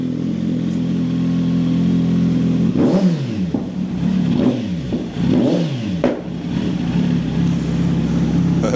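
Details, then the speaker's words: Kawasaki Z900 2020 warming up after fitting a button-switched solenoid valve for pops & bangs, valve letting them through: engine blips up and down with a sharp crack as revs drop; exhaust pops on deceleration. "O już teraz widać że Czy widać już teraz słychać że"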